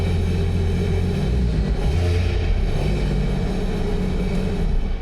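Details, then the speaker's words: 2021 Sea-Doo RXT-X 300 ridden in salt water four years without maintenance, after repair: deep, even rumble with steady pitch, no grinding or knocking, only slight clinking at the back; the earlier terrible noise is gone. Normal running. "And that is the way it's supposed to sound. That's supposed to sound like No, no, no. It's supposed to sound just like that. A little clinging on the back, but that's about it."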